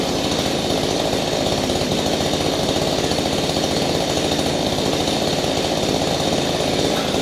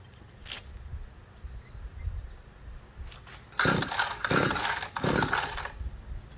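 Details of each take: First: Small engine running after a no-start fix, with the cleaned-up spark plug refitted and the air filter still off: a two-stroke buzz at steady high speed, crisp and even exhaust, no stumbling; the engine now runs properly. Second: Small engine no-start: three quick rasping pull-cord strokes with no catch or pop, never trying to start. The spark plug, pulled afterwards, looked fouled and as if it was not firing.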